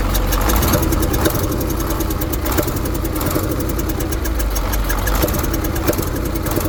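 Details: KAMAZ diesel truck at idle; lumpy idle with quick ticking and heavier thump about every second; engine knock.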